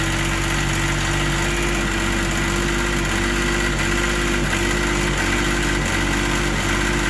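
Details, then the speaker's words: Carbureted three-carb machine after storage, started with a gas-soaked rag over the intake: after about 20 seconds of struggling on dry carbs it picks up into a steady, even two-stroke note; normal running. "so that was uh actually quicker than I thought I thought it was going to stall a few times but you heard it start right away"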